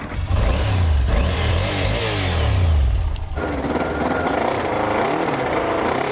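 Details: Motorcycle from a Japan container, first start after storage with fuel drained, cold: engine catches and revs unevenly, climbing slowly and stumbling, no mechanical knocks; rough running before warm-up, cause not confirmed.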